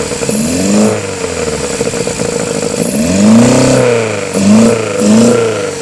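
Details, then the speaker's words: Honda Civic EF with swapped B18C4 and OBX individual throttle bodies, freshly started: uneven blips, surging revs, lumpy stumbling note; runs rough, owner suspects ECU setup, unconfirmed. "I've got my uh Lambda running rough huh it's running a bit rough we need drive with it oh yeah sounds like it's running off"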